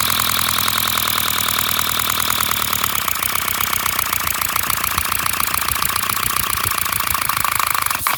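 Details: 3D-printed flat-four compressed-air engine, 30 mm bore and 25 mm stroke, run from an air compressor: loud, rapid, even hissing chuffs from air venting straight out with no exhaust, pace steady then easing off before stopping; running well.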